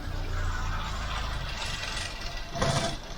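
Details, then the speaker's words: Ford Mk5 Cortina 1.6 GL Pinto engine, cold, ticking over on choke before Accuspark ignition tune-up: uneven, lumpy idle that stumbles instead of holding steady; rough idle, cause not yet confirmed. "Right, okay, so you've got rough idling."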